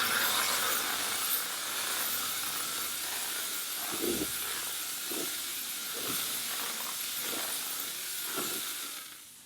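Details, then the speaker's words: Chief Steamer Fogger attachment spraying disinfectant with steam, adjustable flow knob fully closed for least chemical, held off the surface to avoid soaking it; steady hiss with soft periodic spray puffs, no sputtering, normal fogger spray. "we start to spray steam and i'm i'm not going to be all the way up on the surface i don't want to get it soaking wet now my chemicals starting to come out"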